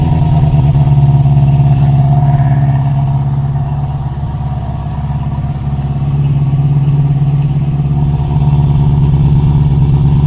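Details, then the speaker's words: 1973 Honda CB350 Four, new plugs and fresh gas, started on choke: steady fast idle holding well above normal tickover; idle screw turned fully in, set at highest idle, believed backwards. "I think we just had the the we thought it was backwards yeah because that says when this was all turned in all the way I'm like that's not right that was full of wow right that was cranked in the highest idle it can be at the lowest idle"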